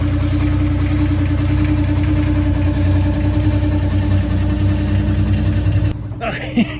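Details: Ford C4 automatic transmission after torque converter swap, recorded under the car at idle; steady low hum riding evenly without grinding or clunks, different from before. Unusual transmission hum, source not found.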